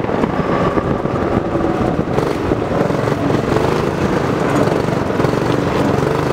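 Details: Homemade go-kart small engine after carb jet upgrade (to fix lean running and sputtering), upgraded intake/air filter and exhaust, and governor removal, camera carried while driving test laps; pulls cleanly and steadily under throttle, no sputter or stumble; normal running.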